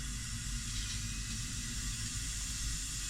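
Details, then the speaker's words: 2014 Sea-Doo RXP-X 260, 150 hours, used-ski inspection boost leak test at 10–15 PSI: steady hiss of intake filling with a faint leak hiss underneath; boost leak traced to a loose hose clamp, then fixed. "We can also hear for leaks and stuff as well, which I'm kind of hearing a leak, I think. Yeah, there's a boost leak."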